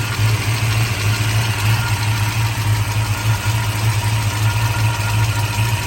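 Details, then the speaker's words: 1966 Shelby GT350, numbers-matching 289 HiPo V8 freshly rebuilt to a 331 stroker, warm (already driven); steady even idle with light, quick ticking on top, ordinary solid-lifter valve clatter. Normal. "is still solid lifter engine as you can hear the solid"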